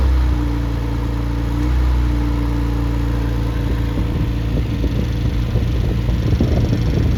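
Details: Rebuilt Triumph Spitfire 1500 engine (fits MG Midget), fully warmed to about 160°F, 9.5:1 compression, 185–195 psi, 50 psi hot idle oil pressure, fuel pump audible: even, steady smooth run, clean throttle blips, no knocks or ticks; healthy.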